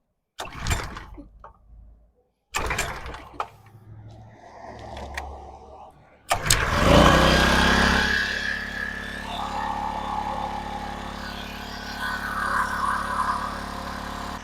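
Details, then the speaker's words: King Canada 1500W generator with a Chinese engine: pull-starts, then runs at a high, steady whiny buzz at 71 Hz and 190 V; governor overspeed, with the governor spring tension to be adjusted. "I just have to adjust the spring tension on the governor to see if I can get it to idle a little bit lower and get that Hertz down cuz at 71 Hertz and 190 volts that's not good"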